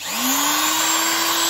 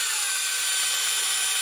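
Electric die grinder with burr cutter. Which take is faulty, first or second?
second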